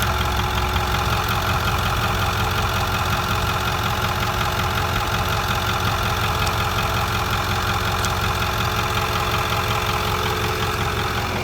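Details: 2008 Ford 6.4 diesel idling with faint rhythmic tapping and hiss after water pump replacement; unidentified noise, owner suspects a nicked vacuum line though connections looked fine.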